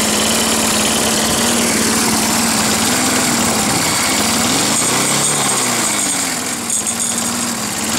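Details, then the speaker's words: Roadside-salvaged Nautac mower with Quantum XM engine in poor condition, pull-started: loud buzzy engine whose speed hunts up and down every few seconds, running rough but keeps going; warms a little. "ça démarre ça tourne mal mais bon ouais ça va l'air d'aller"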